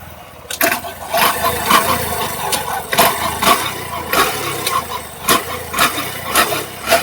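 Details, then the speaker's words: Honda SP125 BS6 scooter-type engine knocking problem: engine started and idling with loud, sharp knocks about twice a second, a strange sound before the engine is opened up. "दोस्तों इसमें बहुत ही अजीब सा sound आ रही है, तो इसे हम खोलते हैं।"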